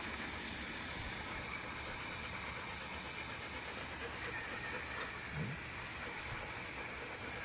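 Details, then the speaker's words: Spa filter pump restarted after filter cleaning; steady high, airy hiss with no mechanical rhythm as trapped air bubbles out and is bled from the housing; earlier it sounded off from air in it, now working. "Yesterday it sounded a little off just because it had air in it. Bleed all the air out. You could hear it bubbling in the tank, so it's working."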